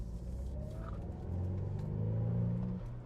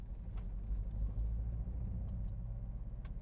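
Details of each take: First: BMW Z4 under full-throttle acceleration after a new spark plug was fitted and the ignition coil refitted, smooth rising drone up to about 6,000 rpm in second and 4,000 rpm in third, no stumble; misfire on hard acceleration appears fixed. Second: BMW Z4 petrol engine driving in second gear under hard acceleration: rough, uneven stumbling rumble, misfiring and unable to pass 3000 RPM as it enters limp home mode.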